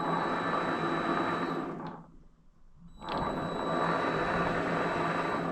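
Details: Vevor MX400 mini lathe, owner says spindle bearings are worn and headstock grinds or squeaks after extended use; here, a steady even whir with motor heard behind, faint high whine and a brief stop midway, no crunch or grinding.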